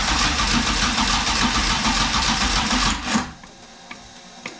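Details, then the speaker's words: Class 1 Jimco off-road car cold start with dry sump, after oil pump rebuild: engine catches quickly and runs a busy, even beat with a crisp rasp before shutting off; sounds healthy, no knocks or rattles. "remember last video we rebuilt the oil pump so we'll kind of let everything cycle through then check oil again and uh can't do that but got kind of a cold start thing here so it's kind of cool so here we go"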